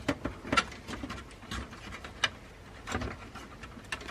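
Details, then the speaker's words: New desktop PC build at first power-up: light uneven ticking and scraping every fraction of a second as a case fan blade hits something; owner suspects he disturbed the fan while cleaning. "oh yeah maybe I mess the fan up when I uh I was cleaning oh no it's touching something yeah it's definitely it's definitely hitting something"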